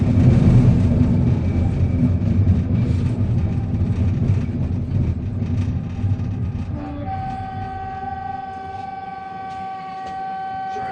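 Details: 1985 UTDC ICTS Mark I SkyTrain car 111 (set 111-112), Expo Line at Joyce Station: loud rumble fades, then steady high whining tones persist while stopped; source of the weird noises unclear.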